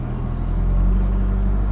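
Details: 2009 (58-plate) Ford Mondeo 1.8 TDCi QYBA Duratorq diesel held at 1500 rpm: deep uneven rumble, shaking badly; misfire, first thought to be dual mass flywheel.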